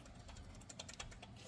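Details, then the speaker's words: 2014 Honda Civic (9th generation), belt drive pulley spun by hand after disassembly: quiet gritty clicking and rough rattle from a bad bearing that wiggles side to side, which caused a whine like a bad power steering pump; replaced with a pulley, belt and tensioner kit. "So after done disassembly, I found you see this pulley back there. This pulley, the bearing went bad."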